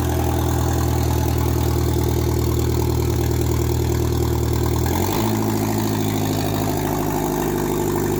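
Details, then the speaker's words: Mk2 Golf with 20-valve turbo engine, first start after build, temporary battery and jumper wiring: engine catches first turn and settles into a steady even idle with smooth low drone, pitch stepping once; runs healthy. "dressler trusted first turn of the key yes good old 25 turbo i love this thing"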